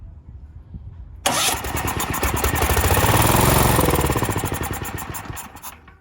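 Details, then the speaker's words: Cheap used Valsi generator, starting fluid sprayed into intake, choke on: small engine catches off the starter, pops about four beats a second, swells, then fades and dies; runs briefly on spray only. "Cool. All right, so it does run. Awesome."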